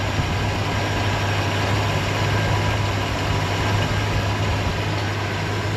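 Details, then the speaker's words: Chevelle with near-stock Vortec small block Chevy and small cam, fresh gas, timing set, carburetor tweaked; deep, steady V8 burble with slight cam lope: healthy warm idle, though throttle snap is still lacking. "We are really good. It runs and purr and sounds good. Like stage.5 cam shaft probably."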